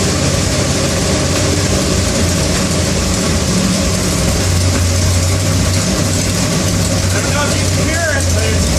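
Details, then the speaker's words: Engine with a coolant leak won't idle, so idle is set all the way up: a high, uneven idle with a loose clatter. It runs rough; owner suspects an exhaust leak, cause not confirmed. "still it's it's running rough it's got a little bit of that clatter I don't know if you could hear it in the video but it's got some sort of a clatter to it uh it almost sounds like an exhaust leak"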